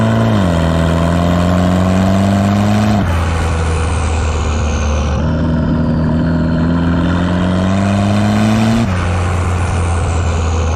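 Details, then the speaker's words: Station wagon fitted with a GMC Typhoon/Syclone turbo, boost controller turned up: engine pulls hard with a rising drone, then note and power drop sharply as boost overshoots and hits fuel cut. "so you could probably hear there i hit fuel cut so i have the boost controller turned up a little bit"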